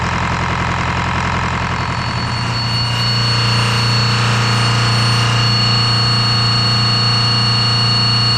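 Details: Detroit 4-53T turbo two-stroke diesel, 7A77 injectors back in after 9G90 failure, loose suction hose clamp before primary filter replaced: loud steady drone, even low hum with constant high whine, smooth and strong, no misses; normal running.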